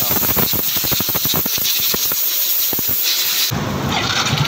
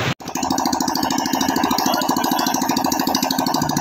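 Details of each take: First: Yamaha Soul GT scooter at idle: harsh rough mechanical clatter; oil check found the engine nearly empty of oil from always being late with oil changes. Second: Yamaha Soul GT scooter single-cylinder engine after major service with oil refilled and internals cleaned: steady, even, crisp idle putter with no knocking or rattles; normal.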